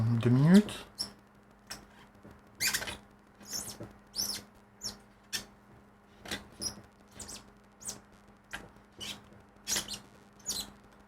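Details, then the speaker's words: Film developing tank's axle squeaks in short bursts about every second in step with the cranking, over a faint steady hum; a few drops leak from the axle, and the owner suspects it was not tightened enough. "On l'entend grincer quand même. J'ai quelques gouttes qui fuient par l'axe."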